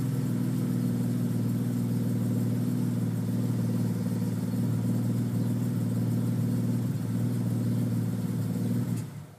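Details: BMW 850 CSi, after sitting six years with the cams removed and then rebuilt, runs perfectly: smooth, even low hum with no knocks or misses, holding steady before shutting off; normal running.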